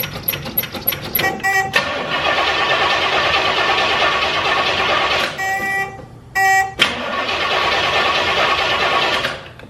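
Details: 1968 Oldsmobile 442 W-30 with a dead battery at 9.4 V, jump-started with a NOCO Genius Boost Pro: quick ticking crank bursts, catches, drops out briefly, fires again; healthy start.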